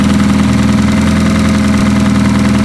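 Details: Demolition derby car engine with old fuel drained and oil filter deleted, started via push-button jump-start wiring bypassing the key: smooth, even idle with a steady mid-pitched hum and no knocks, misses or ticks; engine sounds healthy.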